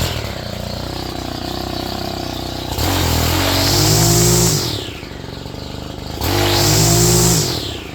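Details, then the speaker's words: Stihl FS 91R trimmer rebuilt from spare parts: the engine climbs twice from a steady idle to a high, rising scream and drops back cleanly. The centrifugal clutch opens, locks against the hub and turns the shaft normally. "when you hit the trigger when you hit the throttle the motor revs up in that centrifugal clutch opens up and locks against that Hub and then turns the shaft and it turns this"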